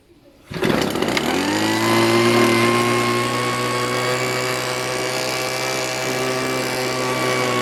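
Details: Homelite Mighty Lite HBL26YBN blower, stored for years, after carburetor replacement and priming: fires on first pull, revs smoothly and holds a steady, even high-pitched drone with no stumbling; runs healthy after repair.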